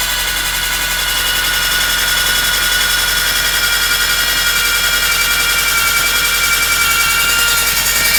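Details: VW Scirocco Mk2 running: loud steady high whine at constant pitch over the engine with a hissy background; whining noise, source undetermined.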